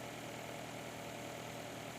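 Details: Nissan Altima 2.5 hybrid in inspection mode after replacing faulty cylinder 3 ignition coil (P0303 misfire): steady, even four-cylinder idle, all cylinders showing rpm, codes cleared; running smoothly.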